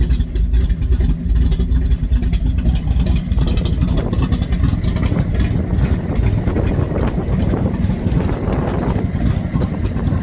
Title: Stupid exhaust leaks